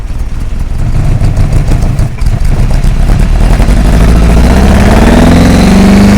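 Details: Hillman Imp rally engine that began misfiring on a rally stage, revved on return. Uneven, lumpy beat with one pulse missing each cycle, pitch rising; mechanically quiet but running on three cylinders.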